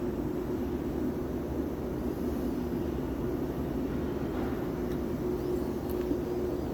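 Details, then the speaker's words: Firelake/Shenandoah waste-oil furnace burner found on reset, run with the F terminals jumped: a steady even air roar with a faint ignition hiss and no combustion; spark and air work but the pump delivers no oil, and air in the pump is suspected. "but we're getting nothing out of the pump so there's nothing to replenish it so this spark and air are working great we just have an oil issue"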